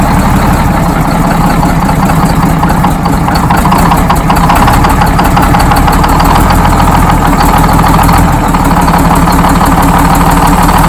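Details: Freshly rebuilt Detroit Diesel 6-71 two-stroke in GM bus 3751, idling just after its first start: loud, deep clatter holding a steady idle with no misses or knocks; healthy.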